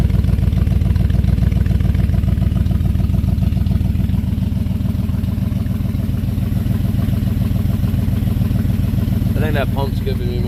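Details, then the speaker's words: Buick 350 V8 cold start on choke after oil pump and lifter work: lumpy, loping, uneven running with light clatter over the exhaust, smoking from spilled oil; owner suspects a new exhaust leak. "It smokes, of course. It sounds awesome. It runs like crap."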